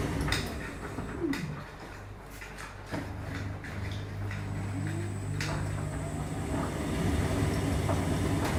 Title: Hotpoint Squeaking noises.